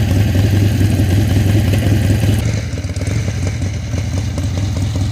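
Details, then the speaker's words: Harley-Davidson Ironhead Sportster after fixing the carburettor backfire in the ignition, timing checked with a timing light, back from a test ride: deep, loping, roughly even V-twin idle with no popping or spitting through the carburettor; normal idle. "so I'm back at the shop and this thing runs great"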